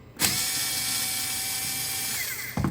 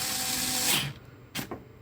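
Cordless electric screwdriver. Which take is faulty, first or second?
second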